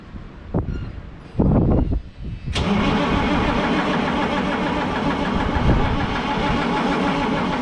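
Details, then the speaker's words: GMC RC cabover day cab diesel truck after battery cable replacement, no ether: starter cranks at an even beat but engine never catches; crank no start, passenger-side feed tank had no diesel, fuel starvation. "going to tinker around with this thing a little bit more and see if i can get uh if i've got fuel going to the motor and uh we'll check back in with you a little bit later"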